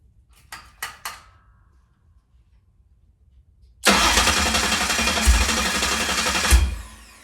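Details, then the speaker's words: Ford 351 Cleveland 409ci (769 hp) on a run stand, starter refitted with a spacer after earlier grinding: light clicks, then steady, even cranking with no grinding or catching. "It now turns over without catching anything, so let's just see what happens when we turn it over."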